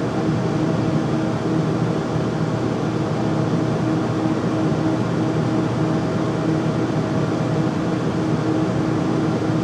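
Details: Home furnace making loud noise when running: steady roar with a constant low hum underneath.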